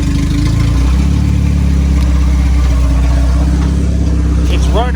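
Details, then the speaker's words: Honda EF Civic build, started on a jump-start to test alternator charging: strong, even low rumble, no knocks or misses, alternator charging; tach and fuel gauge not working, running good. "running, so that's good. Sorry for the crazy camera. I'm trying to do this real fast. We are charging. Hell yeah. Thing's running good."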